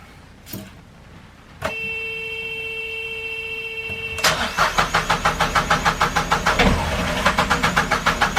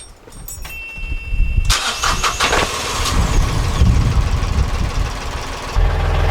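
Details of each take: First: Narrowboat diesel after owner's first service with new oil, air and fuel filters: steady electric hum, then even cranking about three beats a second that never fires; fuel system needed bleeding. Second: Narrowboat marine diesel after its failed electric fuel pump was replaced: a short crank, then it catches and settles into a steady, even low idle with no misses or knocks; normal start and idle.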